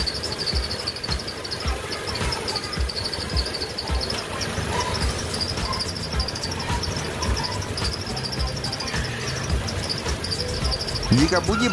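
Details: Car engine idling after engine-bay washing/spraying: high chirping fan belt squeak repeating almost twice a second; fix being tried is scrubbing belt grooves with a toothbrush and applying silicone oil.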